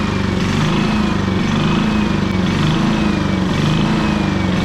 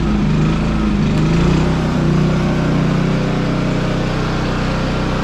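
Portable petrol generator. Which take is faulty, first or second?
first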